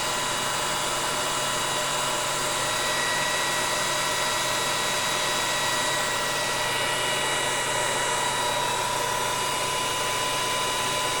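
Even whirring run with steady high drive whistles and no surging, grinding or cutting out; the drive and motor sound healthy.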